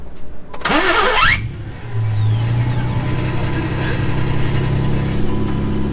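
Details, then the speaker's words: Harsh, rough grating whir as a newly installed starter cranks before the engine catches and idles; the starter may have been installed wrong or be poor quality, and may wear in or wear out. ">> You can really hear the pain of this."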